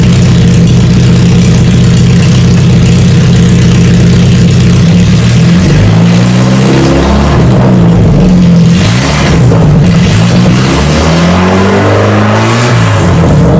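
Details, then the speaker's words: 1992 Saab 900 naturally aspirated 2.1 four-cylinder with the exhaust removed, no mufflers or catalytic converters, pipes straight off the engine: loud raw rasping bark at idle and on each rev, popping and blatting unmuffled. "all right now that the exhaust is off there's no Mufflers no cats it's just pipes right out of the motor you know I have to start it up for a a"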